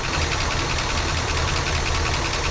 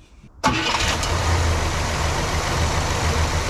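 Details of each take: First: 1967 Cadillac DeVille convertible V8, long-stored, first start on ether: lumpy uneven idle with a dropped beat and noisy lifters; misfire with a dead cylinder, number seven not firing judging by temperature despite good spark and correct firing order. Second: 1967 Cadillac DeVille convertible V8, long-sitting, after plug swap, points gap set, cylinder seven compression 120: steady even idle, valve train quieted, running much better though cylinder seven may still misfire.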